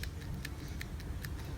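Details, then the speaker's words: Electric power steering rack from a 2012 Toyota Passo KGC30, off the car, shaft rocked by hand: light crisp ticks about every 0.4 seconds from play in a worn rack bushing, amplified when driving; fix is replacing the bushing. "You see that little tiny play on the side of that part? That one can cause an amplified irritating noise."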